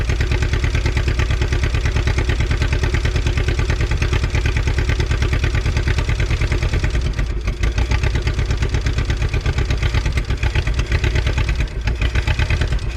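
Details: 1951 Willys CJ3A Jeep, off the road about 52 years (last tagged 1969), fuel line gravity-primed plus fuel from a bottle: steady, even low-pitched thump at idle, no knocks or misses; old four-cylinder idling fine. Normal idle.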